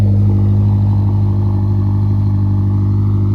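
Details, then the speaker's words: BMW X5M V8 at idle with the exhaust flaps held open, heard from inside with the door open; deep even burble, steady low drone, no rattle or clatter; normal exhaust idle. "And again, it's a lot deeper sound and no rattling."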